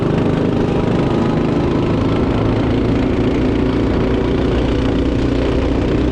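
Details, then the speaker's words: Honda Odyssey go-kart chassis with a cheap used single-cylinder engine, Amazon clutches and what is thought to be a stock carburetor, driving: loud, buzzy drone at fairly constant pitch, slow to gain revs under load; owner suspects clutching and stock carb. "it's a little loud motor's not super responsive it feels pretty much like a normal go-kart"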